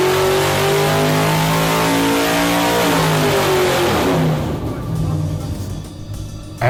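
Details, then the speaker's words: Alcohol-fuelled carbureted drag racing V8 on the dyno with temporary gravity-feed bucket fuel setup; loud, crisp revving pulling cleanly through the range and dropping back smoothly; normal running, timing and carb jetting only slightly off perfect. "is running beautifully just a little timing and jetting the carbs away from perfect.."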